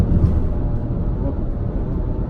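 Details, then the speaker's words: Truck at road speed on test drive: deep steady growling hum, not like a wheel bearing noise, diagnosed as a bad rear differential. "that's a really weird noise definitely sounds like a rear-end issue"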